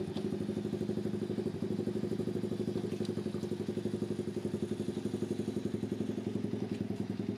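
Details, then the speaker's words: Homemade pit bike trike on a test ride, smoking heavily: small engine putting with an irregular rattle and thudding about four times a second; drive chain too long, with no chain guide, slapping; half link planned to remove slack. "definitely that sound you're probably hearing is to chain it's a little bit too long so I got a half link for it which should take care of the slack and then it won't rattle"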